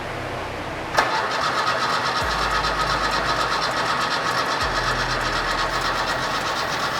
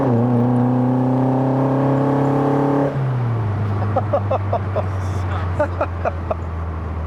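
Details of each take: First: Fiat 131 Mirafiori Abarth with newly fitted twin Webers, waking after years sitting: starter click then steady churning about four beats a second that doesn't catch; no fuel yet in carburettors, later fires smoothly. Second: Fiat 131 Mirafiori Abarth with twin Webers, road test after revival: strong, even pull with smoothly climbing note, clean gear change, steady drone; healthy acceleration, though car feels wobbly, prop shaft balance suspected.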